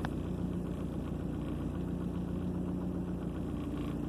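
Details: 2003 Ford Focus after repairing cylinder 2 misfire (code P0302, check engine light): quiet steady idle with even low hum, no stumbles or skips; no fault codes present, normal idle.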